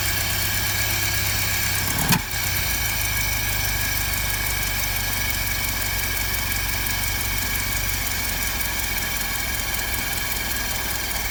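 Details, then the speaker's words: 1955 Land Rover Series One petrol engine, freshly rebuilt after about 50 years standing, first start-up with rebuilt or replaced SU fuel pump; steady, even, smooth idle with no knocks or misses, running very smooth for a 66-year-old engine. "yeah she runs and for a 66 year old engine she's running very smooth"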